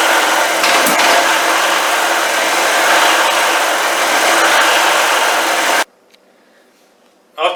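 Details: Old generator, given to the owner 10 years ago and sat for years, after freeing a stuck carburetor float that leaked gas: loud steady roar with no knocking or missing, then cuts out, running cleanly.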